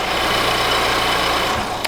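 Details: VW Golf after new fuel filter, fresh fuel, connector cleaning, a line fixed and tapping electrics (died once earlier today), still idling after about 15 more minutes; even, steady smooth low hum, no stumbles, hunting or stalling; normal idle.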